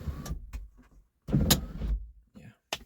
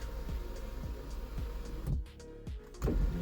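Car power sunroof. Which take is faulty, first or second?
first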